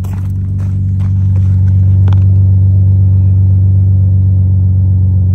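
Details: 2007 Dodge Magnum 3.5 V6 petrol at steady, even idle with smooth low rumble and no stumble, after replacing a cracked cylinder 3 spark plug that caused a cold-start misfire (P0303); misfire gone, normal idle.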